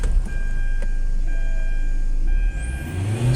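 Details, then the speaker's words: 2009 Hyundai Santa Fe that sat over a month and wouldn't start, now running after fuel system work with fuel lines tightened; low, smooth hum that climbs evenly when revved to 5,000 rpm, no stumbling or knocks; healthy. "Ayun goods na goods na talaga mga mga boss subukan nating paandarin ulit mga boss yan umandar na t saka yun hanggang 5,000 yung RPM natin diyan"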